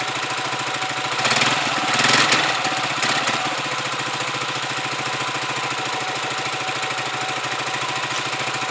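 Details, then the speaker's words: Huoniao HN125 single-cylinder motorcycle, just fitted with a new replacement carb. It is cold-started and warming up with the choke now off. A brief blip settles into an even, steady, unlabored idle that is better than before. Normal idle. "Definitely idling better. I'll just let that warm up."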